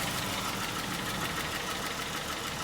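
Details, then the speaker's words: 2011 Dodge Charger 3.6 at idle: light quick even ticking over steady idle; suspected stuck or poorly lubricated lifter from bad oil and missed oil changes, unconfirmed. "So, first concern and first customer concern is, as you hear, the engine is ticking. So that sounds like a lifter's in there."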